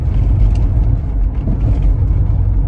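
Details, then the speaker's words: 2005 Lexus RX330 under hard acceleration after replacing the exhaust gasket and bolts: deep smooth rumble with no ticking or puffing; power back to normal, check engine and VSC lights gone. "it's quiet and uh I feel like the power is kind of back to normal now before it it was like really sluggish very happy"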